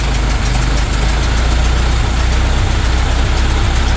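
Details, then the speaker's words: 1925 Ford Model T C Cab with distributor conversion, first run after years of sitting: low steady quiet idle with even soft firing pulses, smoother with more spark advance; normal idle. "you know it's actually kind of quiet it is quiet isn't it"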